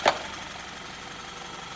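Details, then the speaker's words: Overhauled VW EA888 engine at steady, smooth idle, heard through a listening rod on the cylinder head: light rapid ticking; suspected low oil pressure making the camshaft adjuster tick, not confirmed. "这样一听，还有哒哒哒哒哒的声音。据直播间的专家会诊给我下出来结论，应该是这个机油压力不足导致的这个凸轮轴一直调节出现这个死亡哒哒哒哒的声音。"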